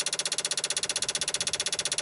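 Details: 1995 Dodge Ram V10 cold no-start, key on, engine off: fast sharp very even clicking about fourteen a second, ASD and fuel pump relays chattering; PCM 8-volt regulator failing, noisy around six volts; bad PCM suspected.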